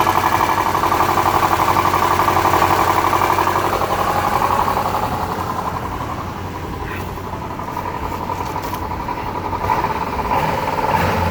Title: 02 Subaru Legacy engine -- rod knock or piston snap? Help!